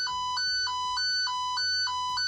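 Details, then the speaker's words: Klein toner probe on the traced wire in the alternating-tone setting, probe highly sensitive and detecting even at 0; clean two-pitch warble flipping high and low about three times a second, strong and steady, locked onto the wire. "You can see here where this toner is a lot more sensitive, and it's able to detect even on 0, even whenever we don't even have the volume all the way up."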